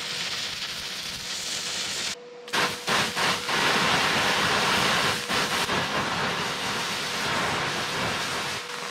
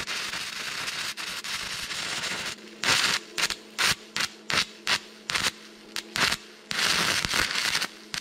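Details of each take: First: Stick welding onto rusty metal with a Vevor MIG-250 multiprocess welder: a few stutters as the arc is hard to strike, then an even, sustained crackling sizzle. Stick arc running normally. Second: Stick welding test at 60 A, rod box rating 60–90 A: arc crackles in short bursts and keeps dying, never steady; amperage too low, hopeless.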